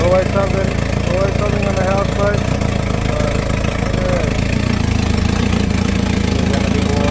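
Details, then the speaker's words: Houseboat inboard engine idling a little low after overheating repairs: a loud, raspy, unmuffled exhaust note, with exhaust blowing out the side; exhaust leak. "It's blowing out the side. You can hear that exhaust. That makes a lot of noise. That's not good."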